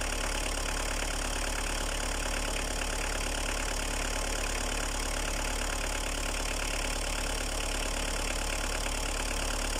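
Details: Opel Astra F, 1.7D naturally aspirated diesel with Bosch VE pump, 150,000 km, cold start after two years unused: even diesel clatter at a steady idle, no misses or hunting; a healthy cold idle.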